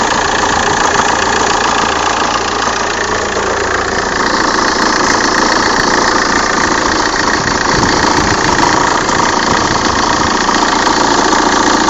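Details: 1.9 CDTI diesel at cold-start idle: a harsh, rough knock of about three to four beats a second over the diesel clatter, with vibration; it is fine after three minutes, and the dual-mass flywheel was replaced a month ago.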